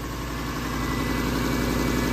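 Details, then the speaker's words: Lexus LS430 V8 at first start after engine overhaul and transmission swap: steady idle with a sharp regular puffing tick in time with firing pulses, plus smoke from stuff burning off the exhaust; exhaust leak. "yeah oh we have an exhaust leak damn it but it's running woohoo wonder where that exhaust lake is"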